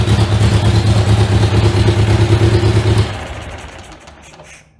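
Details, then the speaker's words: Riley Brooklands replica with newly built Austin Brooklands-style silencer: loud, even low thumping at idle, dying away at shutoff; owner suspects silencer inlet pipe doesn't extend inside as the specs require; loud exhaust. "So that's kind of what it sounds like. It's pretty loud."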